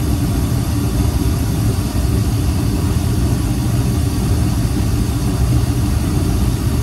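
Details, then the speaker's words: Old rusted gas pack furnace unit, burner lit with blower running: steady, deep, even roar without pulsing; loud burner roar, which on these units can indicate a heat exchanger with holes, not yet confirmed. "you can hear a difference out here very significantly on these particular units if the heat exchanger is really got holes in it."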